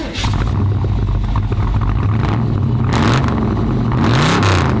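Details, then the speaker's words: Chevy El Camino, big V8, rear-wheel drive, from Tennessee with no inspection law: loud, raw V8 bark rising and falling with throttle blips, no muffling; the exhaust is straight-piped. "you can also tell by the exhaust this is Tennessee they don't have any inspection law so it's straight"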